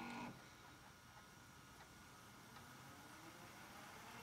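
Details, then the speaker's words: Panasonic PV-V464S VCR on fast-forward: faint, steady light whir with a thin high tone and no knocking or grinding, the typical sound of this series' two transport gears turning; normal. "it makes a little odd bulbous sound it this is a typical sound of one of these series that's it's that sound you hear that's two gears turning"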